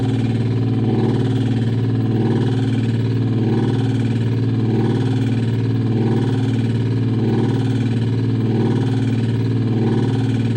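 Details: LG top-load washer: loud, rough motor drone throbbing about three times a second, motor grinding on a failed hall sensor, usually ending in LE error; caused by a very light load, followed by blown fuse.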